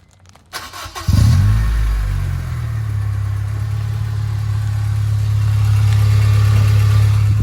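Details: Nissan 240SX engine cranks briefly, catches and settles into a deep, steady idle with no ticking or puffing, after a blown exhaust gasket was replaced: normal start and idle.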